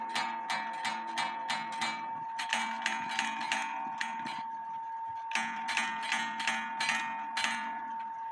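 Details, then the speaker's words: 1860 Black Forest wooden-movement clock after rebushing and adjustment: lower then upper gong ring cleanly with sustained notes. Earlier bad sound came from the inside gong touching the wooden base. Lower gong still needs slight upward adjustment. "So now I need to adjust it so it comes down some. Now listen. Lower gong, upper gong."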